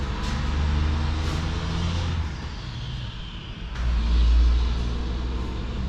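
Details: 2019 John Deere Gator XUV835R after swapping in a replacement Chery SQR372 engine and bleeding the coolant: deep, even rumble with a gentle swell in revs and no knocks or rattles; normal running.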